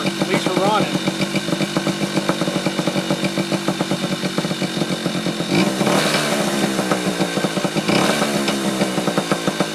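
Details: Yamaha Chappy two-stroke after HPI ignition install, stator had been shorting to the case, owner suspects too many grounds: quick, even popping holding steady idle, no misses or stumbles; now running, normal idle.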